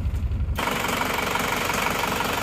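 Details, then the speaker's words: Isuzu Panther diesel that had 15 bar compression, cold start after new rings: after a brief change it settles into an even, steady idle clatter with no misses; smoother and crisper than before the repair. "seperti ini sudah hilang ya tidak seperti kemarin Kelihatannya sudah lebih halus lebih renyah"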